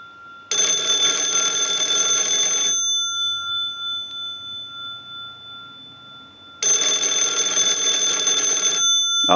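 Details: Wooden wall 317A telephone on checkout: an analyzer sends ring cycles, giving two loud, steady bell bursts about two seconds long with a quiet gap, a healthy ring cadence.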